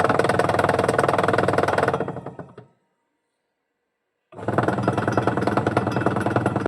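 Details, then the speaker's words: Washing machine running, drum turning: fast clattering 'khad-khad' rattle about three knocks a second, stopping and resuming; worn, loose gearbox pulley knocking as motor belt turns it, reducing belt grip; fixed with a rubber washer. "आप देख सकते हैं जो gear box की पुली है वह loose हो चुकी है। जब मोटर बेल्ट इसे घुमाती है तो ढीली होने के कारण वह आवाज करती है और मोटर बेल्ट की पकड़ भी कम हो जाती है।"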